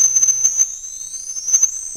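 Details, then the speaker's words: Castle Creations Cobra 10A ESC bench test: thin high whistle, roughly 8-13 kHz switching in startup range, then climbs as PWM rises to about 20-24 kHz plus commutation frequency; far quieter than other Castle controllers. "it pops up we get a little less on the ears which is probably going to be like 20 to 24K switching frequency and then the rest of what we hear is going to be commutation frequency so far far quieter than other Castle controllers"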